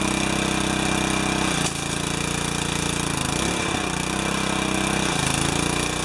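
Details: Briggs & Stratton 4 hp vertical residential pressure washer after freeze damage and unloader replacement: small petrol engine runs steadily with brief dips in note as load changes, no knocking or misfire; normal running.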